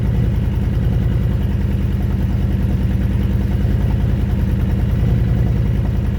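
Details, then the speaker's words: Honda Fury motorcycle with 727 miles, sat 7 years on a farm: low loping idle pulses, slightly irregular spacing, idle hunting; idle not consistent, cause unknown. "Kind of sounds like the idle is not consistent."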